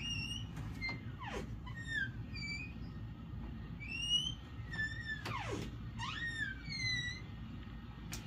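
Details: Interior room door before any WD-40 is applied: high, sliding, whistle-like squeals from the hinges each time it moves.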